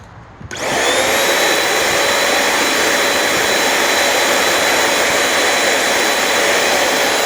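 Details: Very old Shark NV22 upright vacuum (lots of hair in brush roll, not broken) on setting 1: motor spins up fast to a steady even whine with brush roll humming; runs fine, possible leak elsewhere; normal running.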